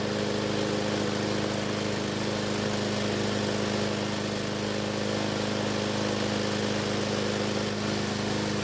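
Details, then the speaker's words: Free Craftsman mower test run on the bench after repair, fuel fed by bottle, started with a drill: small single-cylinder engine holds a steady, even buzz with no misses or surging; runs healthy. "so fortunately the engine started and ran and even though I could have left it running for another minute"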